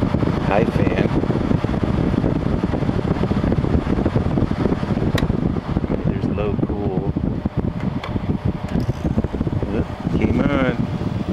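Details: 2000 Quasar HQ2061FH 6000 BTU air conditioner (same as Panasonic), thermostat warmed with hair dryer, fan low then high: steady even fan rush with low hum once cooling kicks in; normal compressor running.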